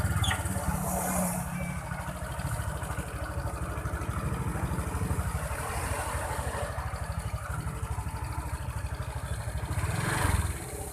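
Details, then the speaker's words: Honda Vario 125 scooter CVT after repair: smooth, even steady low drone, creaking/clicking gone; noise came from a worn, loose rubber part, and a cracked part was also found. "Jadi teman-teman bisa dengerin ya suaranya sekarang dengan yang tadi, bisa kita bedakan suaranya. Suara kretek-kretek udah hilang ya."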